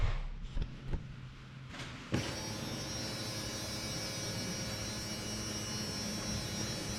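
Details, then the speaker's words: Truck with unbled fuel system, key on before first start: a few clicks, then steady even electric buzz; fuel lift pump priming normally. "we may have to do some uh bleeding on the fuel system but we're going to give it a shot without it so let's see what happens here but let me see if when I turn the key on you can hear the"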